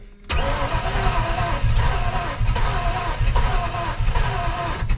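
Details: Project "Two Tone", cranking; starter turns the engine steadily at an even pace for several seconds but it never catches; spark present at the coil, distributor delivery unconfirmed: crank no start.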